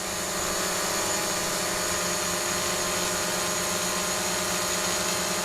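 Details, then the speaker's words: DJI Mavic Pro hovering with three broken propellers: a dense buzzing rotor whine with a rough, wavering edge as the motors keep correcting. The props sound uneven and the drone is a little wobbly. "It's a little bit wobbly, and I can hear it. Its propellers sound uneven, like it's, you know, clearly. The computer's doing a good job though, dealing with the fact that the propellers are broken."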